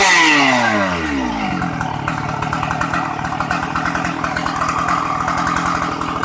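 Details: Shindaiwa 757 two-stroke chainsaw, used, easy starting, oil pump working; after a quick pull the revs settle into a smooth, steady crackle with no sputter or hunting; normal running.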